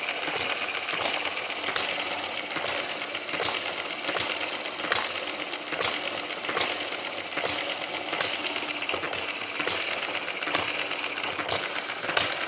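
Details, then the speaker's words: Microcosm M91 (Eachine) vertical water-cooled hit-and-miss model engine fitted with lighter governor springs: sharp, light, even ticking about twice a second with no heavy firing beats; it runs pretty slow, slow running from the light governor springs. "I think that's running pretty slow. Pretty nice."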